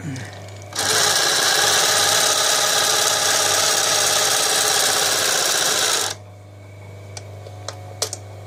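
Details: Class 332 PMZ Podolsk post-bed shoe sewing machine with active upper and lower rollers and needle feed: fast even buzzing chatter about five seconds, starts and stops cleanly, no knocks or grinding; running healthy.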